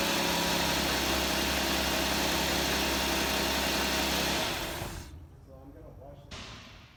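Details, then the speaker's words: 2005 Chrysler 300 2.7 petrol V6 cold start: loud metallic rattle for about a second, then drops away; owner suspects the timing chain tensioner, to be replaced via intake and valve cover removal. "Every time I start it, it makes a rattling noise for like a second or so. I already kind of checked it out, and it seems to be the tensioner."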